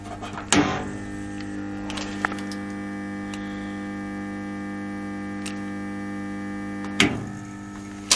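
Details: Car battery charger with a 180 A start function, working again after its blown plug fuse was replaced: a switch clack, then a steady low electrical hum with a few clicks as it charges a small scooter battery, normal transformer hum.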